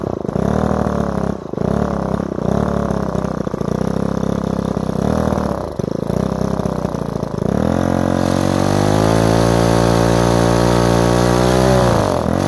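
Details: Repaired Ryobi two-stroke strimmer started on choke after priming the bulb, then given a quarter turn; sputters and dips unevenly for several seconds, then holds a steadier buzz; unstable, blubbery idle, owner thinks fine tuning will fix it.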